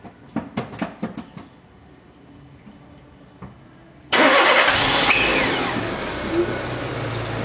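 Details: Renault Duster started after fuel filter replacement with fuel pump reconnected: a few sharp clicks, a quiet pause, then fires instantly and drops to a smooth, even idle; normal start and idle.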